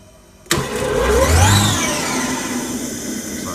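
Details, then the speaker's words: Abac screw compressor, Genesis controller run test, motor switched on to check rotation: sudden start with a rising hum settling into a steady even run, no knocks or grinding; motor starts cleanly. "Motor is on. And check for rotation."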